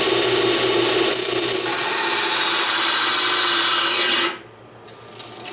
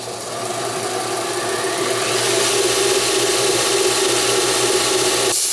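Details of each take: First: BUCKTOOL dual-speed 1x8 belt sander/grinder, new, stall test on annealed mild steel: steady high grinding hiss of steel on belt, then abrupt cutout as the motor stalls under heavy pressure after cutting quite a bit first. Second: BUCKTOOL 1x8 belt sander on high speed, grinding annealed mild steel with moderate pressure; steady gritty hiss over an even motor hum with slight drag, cutting normally under load.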